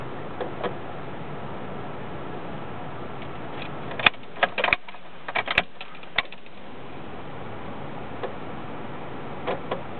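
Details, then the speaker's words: Car with intermittent engine stalling and check engine light on: with the engine shut off, scattered sharp clicks continue in the driver's-side dash area; owner suspects an electrical short, maybe the ignition switch. "see the clicking noise the clicking noise when the engine shut off still working"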